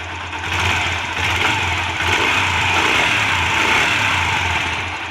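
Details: Yamaha 125 single (YBR 125/XTZ 125) after checking valve clearance and cam chain for engine noise: settles into even, steady idle with clean beat, no knock or clatter, now without noise; normal idle.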